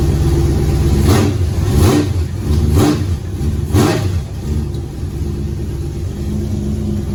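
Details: Chevrolet Nova on a late-model chassis, its first running motor in 38 years, after priming and timing. It fires straight up, gives four clean throttle blips, then settles to an even, deep idle after the thermostat-housing gasket leak and cracked fuel pump were fixed. Normal start and idle.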